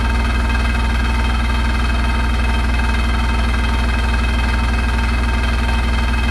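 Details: Hotpoint NSWR843C washing machine on final fast 1200rpm spin: loud constant droning roar with a fast steady pulse, much louder than a normal spin; rattling really loud.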